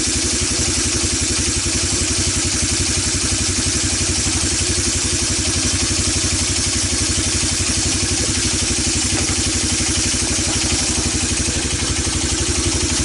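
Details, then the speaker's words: ATV that sat for years, single-cylinder, after carburetor clean, new plug and fresh gas: fast, slightly uneven thumping idle about four beats a second with a rattly edge; runs rough, needs tuning. "as you can tell this thing isn't quite running right so we're gonna end this video here"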